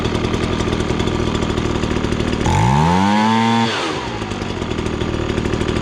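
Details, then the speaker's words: Ryobi BP42 backpack leaf blower, two-stroke, previously bogged and wouldn't rev: after carb adjustment screw turned about half a turn, set slightly rich, buzz snaps cleanly to max rpm high scream and back to idle, no bogging. "you could hear it basically hit max rpm and then i just went a little bit farther to go a little on the rich side"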